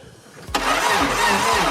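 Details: 1988 Subaru RX with suspected head gasket leak and ignition/no-spark fault, cranked while voltage is tested; slow even churning pulses about two a second, engine never catches; cause suspected, not confirmed.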